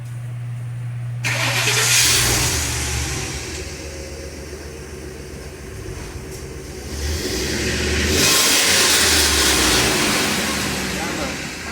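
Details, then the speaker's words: Early-2000s Ford E350 cutaway box truck, gas V8 running poorly, started and revved twice: loose, hissy high-pitched exhaust rattle from broken catalytic converter pieces; converter clogged and likely needs replacement. "and now we can start it up and rev it up but we can hear the pieces rattling around so we're pretty sure it needs a catalytic converter"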